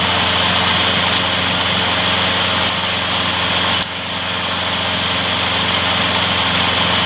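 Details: Trash-found mower after freeing a stuck carburetor float needle and topping up low oil: steady even single-cylinder buzz at constant speed, no misses or surging; smokes slightly, may clear after running in; runs great.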